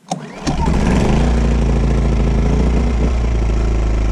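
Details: Champion 2500 W inverter generator, 79cc engine, cold start on choke right after replacing the Torch E5T spark plug with an NGK BPR7HS: pull-start catches within half a second, then a smooth, even drone; healthy cold start.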